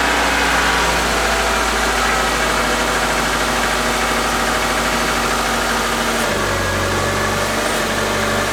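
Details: Subaru Forester with a rebuilt EJ2.5 just reinstalled, first start after priming the fuel system, out of gear: it catches and holds a steady idle with an even hum and a slight shift in note, with no obvious knock.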